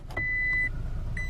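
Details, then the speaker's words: Toyota truck idling in 4-low: steady high half-second beeps repeating, warning when shifting out of 4-low without foot on brake and transmission in neutral. "it's going to beep at you put your foot on the brake pop this bad boy into neutral"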